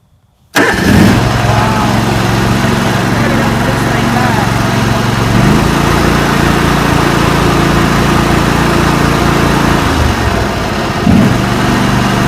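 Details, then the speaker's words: John Deere lawn tractor with a Kawasaki FD-series V-twin, after replacing the ignition coils, spark plug caps and plugs (NGK BMR6A) following a very weak spark on one side: it fires instantly and settles into a smooth, even idle with no misfire; normal start and idle. "Now that is quite a difference. That's a lot bigger difference than I was anticipating. We'll put the spark tester on and have a look, but just listen to her start up again. She just starts up right away."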